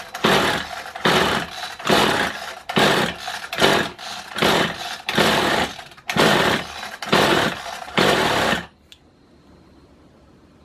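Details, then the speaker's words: Kawasaki hedge trimmer after new piston rings: repeated pull-start strokes under one per second, rough cranking bursts that never catch; has spark but won't start. "and it's just not turning over he might just be a goner yeah so I still have spark"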